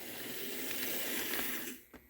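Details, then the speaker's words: Model locomotive drivetrain, a B408 that barely runs: hissy, rough electric whir with scratchy noise and no clean steady tone, like a dying cat; commutator whine from a worn motor needing complete overhaul. "now the drivetrain as you remember I ran this and it sound like a dying cat which has become a phrase I've used a lot oh wow it's got commutator"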